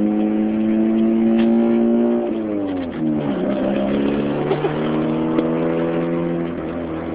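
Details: 2006 Chevy Cobalt SS supercharged four-cylinder revving, with a raspy, ticking puff on the exhaust note as revs rise and fall; exhaust leak at the slightly open header/downpipe joint.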